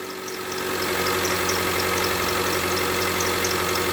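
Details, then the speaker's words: Mitsubishi Lancer X running on gas (LPG), cold, after the broken crankshaft pulley was replaced: an even, steady idle with no knocking, just a touch of cold roughness. The engine sounds healthy. "давай запускаем ну вот немножко колбасит мой это из за того что он на газу работает блюд холодный"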